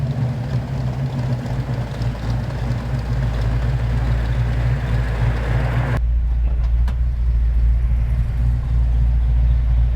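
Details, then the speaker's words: 1970 Dodge Challenger R/T after a carburetor swap and dyno runs, revved above 6000 rpm: deep, even V8 lope, about three to four pulses a second, holding its original idle without stumble; normal idle. "check it out it still maintained its original idol ah she sounds great"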